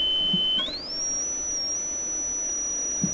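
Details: Electrohome CS400P stereo's Acoustech E00-411 35 W two-way tuned-port speaker with a newly installed replacement tweeter, fed by a signal generator: a clean, pure tone glides up and holds near 6,000 Hz with no buzz or rattle; normal tweeter output.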